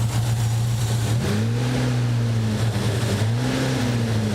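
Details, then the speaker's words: Nissan 200SX engine with a dead number one cylinder: lumpy, wavering drone with uneven beat and occasional pops, backfiring out of the number one hole and misfiring now and again. "I'm hearing it backfire out of the number one hole"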